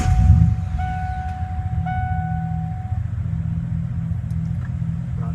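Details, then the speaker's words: 1996 Ford F-150 after no-start from a failed distributor pickup coil, fixed with a new distributor and spark plugs: starts and holds a low, steady, even idle with no misfire or knock; normal running after repair. "um changed the entire distributor to a new one and change new spark plugs and it runs just fine now"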